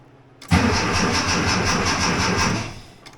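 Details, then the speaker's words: 1982 air-cooled VW Vanagon Westfalia under restoration, in neutral; starter cranks at an even rhythm about two seconds but never catches. Owner wonders if the fuel pump is pumping and plans to check at the bleeder. Crank no start, fuel pump not running. "I wonder if the fuel pump is pumping I have to wait for the heater to stop before I can tell if the fuel pump's pumping"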